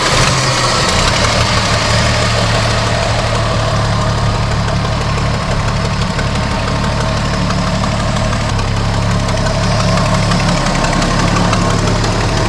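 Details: 1973 Dodge Dart Swinger, 225 slant six, revived after 29 years, now on its own tank via fuel pump and new clear fuel filter: steady low idle, constant exhaust rumble, no ticking or puffing; earlier exhaust leak went away, idles evenly.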